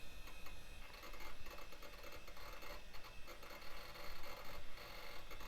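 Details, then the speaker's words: 1990s HP Vectra tower PC booting Windows with system file errors: a quiet, uneven ticking and scratching under a low hum, the hard drive struggling and clicking. "yeah it's not looking good yeah that's the struggle sound tick"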